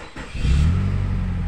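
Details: Nissan X-Trail T30 after replacing the worn sprocket that caused a rattle on every start: short crank, engine catches and settles into a smooth, even idle with no rattle on start-up; fixed.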